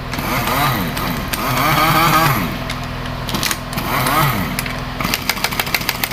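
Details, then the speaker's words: Honda Vario 110 scooter, noise checked at the CVT, still present with the roller housing removed and no load: rough rattle and clatter through rising revs, ticking at idle; piston and ring wear after the engine ran out of oil. "Dan saya tadian ketemu konsumen yang punya motor, dan ternyata motornya telah kehabisan oli. Dan dipastikan ini sehernya kena atau piston."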